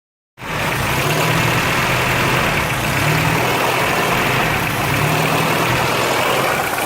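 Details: Engine idling with the air conditioner on: a constant airy hiss rides over a steady, slightly uneven idle beat. This indicates an intake vacuum leak.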